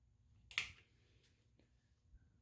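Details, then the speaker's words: Homebrew brewing control panel tested in a warm laundry room: one sharp click in a quiet room, then faint ticks, as the heating element relays switch in cleanly. Normal relay switching. "got the elements that are clicking on so I assume they're working I can hear the relays clicking in"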